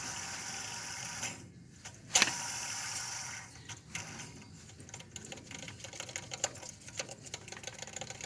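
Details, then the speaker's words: 2005 Chevrolet Silverado 1500 2WD 5.3 V8, belt removed for water pump replacement: hand-spun pulley has play and coasts with a dry, high-pitched rasp, grinding and scattered ticks, a worn pulley bearing. "everything was going under pulley does have some play I hear a little bit of grinding in that as well"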